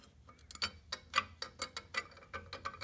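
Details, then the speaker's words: 1947 GMC truck, engine off: exhaust heat riser/diverter valve under Zenith carburetor moved by hand, light irregular metallic clicks about four a second; valve rotates open and closed but shaft and counterweight frozen. "And the plan is, once I get the carburetor off, I'm gonna the exhaust diverter valve, which is under here. The valve moves, I can feel it. You can hear it."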